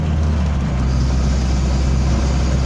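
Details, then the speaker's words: 1985 Toyota Sunrader motorhome, 22RE engine, manual, after fitting LCE street header kit: deep, steady exhaust drone under road noise while driving, no ticks, rattles or misfires; smooth, more responsive, sounds healthy. "that sounds good man it sounds really sweet"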